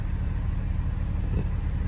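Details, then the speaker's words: 2010 Mercedes G55 AMG M113K V8 after replacing all 8 coil packs (following new plugs and wires) to fix a slight idle hiccup: warm, smooth, even idle with no misses; only a very slight improvement. "Yeah, it is smoother. Very, very, very slight difference, but it is a smoother idle."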